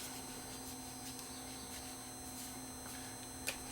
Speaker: if there's no tape in it the amplifiers himself are lazy you can hear it hissing you hear motor noise too not very clean not very clean at all